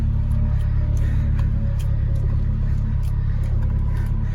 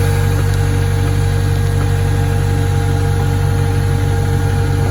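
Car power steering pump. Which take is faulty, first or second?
second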